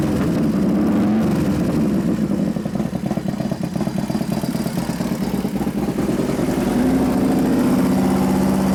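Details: New 1993 Harley FXR Evo 89ci stroker build, first start using compression releases after starter trouble (suspected relay); lumpy V-twin idle, even firing pulses rising and settling cleanly on blips, no knocks or rattles: normal idle and rev.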